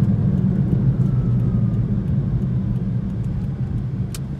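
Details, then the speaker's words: 2010 Toyota Prius after loose rear spoiler was fixed, tyres recently replaced: steady low droning hum over road noise; driver suspects tyres, later believed a bad wheel bearing, not yet inspected. "Y'all can for sure hear. Like, even right there at like 10 miles an hour, it's making the noise. So I really feel like that's the tires."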